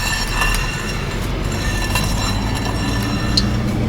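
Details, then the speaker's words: Renault Logan front wheel, jacked up and out of gear, spun by hand: steady dry rubbing scrape with faint high squeal and clinks as worn front brake pads rub the disc, causing the squeak while driving; pads to be replaced. "Поддомкратили, сняли с передачи и переворачиваем колесо, и как можно услышать, колодки вовсю терутся об диск."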